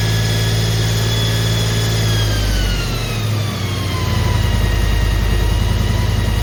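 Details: Holden HQ 308 V8, first start after full rebuild to stock spec, re-sleeved standard bores, Crow Cams 5651 cam (282 duration, LSA 114), remanufactured Quadrajet carb; deep even burble with smooth rev rise and fall, no knocks or ticks: normal idle and revving.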